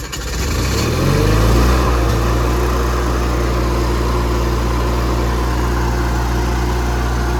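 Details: Engine at an equipment auction, likely the Miller Bobcat 225 welder showing about 1600 hours: starts quickly, revs up, then holds a steady, even drone with a smooth beat and no knocks, a healthy engine.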